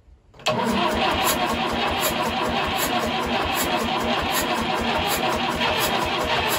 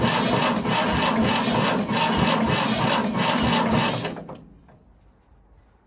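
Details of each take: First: 1950s Fordson Major diesel tractor, first start in about 20 years after bleeding the fuel system, fresh diesel, charged battery and new terminal, a couple of primes, heavy smoke: catches at once and settles into a steady, even knocking clatter with no misfires. A runner. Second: 1950s Fordson Major diesel tractor, first start attempt in about 20 years, cold start button primed: slow, labored cranking at about four compression beats a second that dies away, as the battery is too flat to turn it over.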